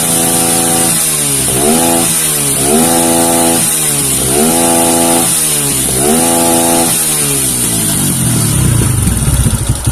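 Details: Kawasaki KLX 150 with vacuum carburetor: four quick blips, revs climb sharply and fall straight back to steady idle; carburetor responds cleanly.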